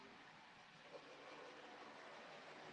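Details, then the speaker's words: Model Flying Scotsman locomotive on 40% power, earlier warmed up at 50%: soft, steady whirr with an even rolling sound and no catches or surges; pulling its coaches smoothly. "yeah that seems to be um that's pulling quite smoothly there really isn't"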